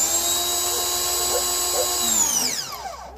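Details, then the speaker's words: Ryobi 2000 PSI electric pressure washer with a replacement sprayer: steady, even high motor whine then smooth wind-down; runs normally, confirming the clogged original sprayer piece stopped it starting. "Problem solved. So the problem is this piece here is clogged. It'll prevent this thing from starting, like I showed you."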